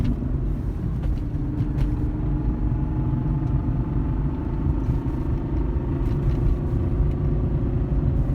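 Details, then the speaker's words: BMW E39 M5 driving in fifth gear: steady road rumble under a smooth engine drone, with no transmission rattle, which the owner says does not happen in fifth. "it was crazy it doesn't happen in fifth that's a fifth gear now"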